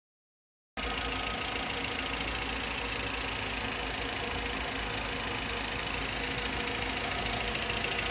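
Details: VW Voyage Comfortline 1.6, 2010/2011, 46,783 km, at idle: fast, fairly even light ticking, sharp and high, which began after the timing belt and tensioner were replaced. The owner believes it comes from the injectors, not the camshaft.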